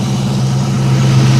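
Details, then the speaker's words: 1989 Ford Mustang LX 5.0 convertible idling after a fuel filter change (rusty tank, fuel pressure about 38): smooth, even low idle hum with no stumble or surge; sounds healthy and is not dropping gas. "I am very glad I didn't drop this tank like I said we probably need to eventually but sounding pretty healthy it's not dropping any gas"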